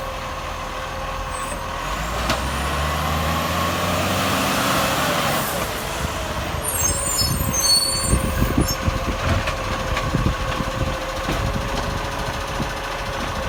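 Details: Acco garbage truck #2538 (Monash) with an exhaust leak, very loud: diesel revving, then a raw chuffing exhaust note with sharp puffs at idle.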